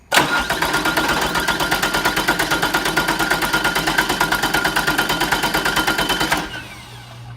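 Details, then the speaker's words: Diesel cranking in a relative compression test, with a current probe on the battery cable and the cam sensor on a scope. A glow plug was loosened a few turns and one beat is slightly softer each cycle: low compression traced to cylinder 3. "I can see here that number 3, if I follow my firing order, this is 1, number 3 is my problem."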